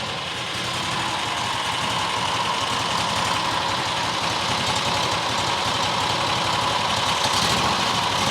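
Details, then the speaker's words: New John Deere XUV side-by-side petrol engine, rodent nest removed; steady even idle with smooth quick patter, no hunting or stalling, much better than before; dirt in low-speed jet probably the cause; normal idle. "Idling now. Idling a lot better than it was."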